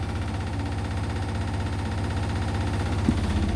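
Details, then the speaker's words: Indesit washing machine, towels on Daily Quick 60, 1000 rpm final spin: heavy low thumping about four times a second over a deep rumble from an extremely unbalanced load; owner thinks he hears bearing clicking. "blimey out that was extremely unbalanced almost serious"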